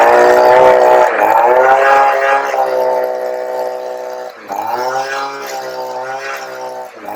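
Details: 23-year-old Stihl SH85 two-stroke leaf blower/vacuum, after a new carburetor replaced the old one on a no-start unit; a steady, even high buzz with only brief dips as the throttle moves. Normal running.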